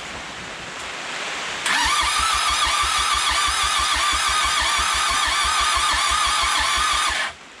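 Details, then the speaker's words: 4D55T diesel swapped into Mitsubishi Montero/Dodge Raider, pump primed and injectors bled, getting fuel: fast, even cranking with steady starter whine and no firing at all; engine has almost no compression. "it's getting fuel it's getting all that but uh turns out this engine has like no compression"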